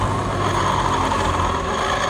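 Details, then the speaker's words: Honda Vario 150 scooter with the rear wheel spun by hand: a continuous dry, gritty rasp coming from the CVT area, with a worn rear pulley bearing suspected. "Roda diputar bunyi kasar ya. Nah, kasar banget seperti ini. Ini motor Vario 150 ya. Oh, suaranya cenderung di bagian CVT."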